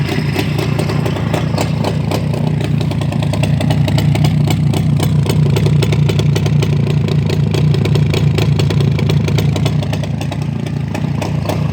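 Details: Black ČZ two-stroke motorcycle after engine repair: busy, even idle with a fast steady patter and no rattles or misfires; runs smooth and healthy.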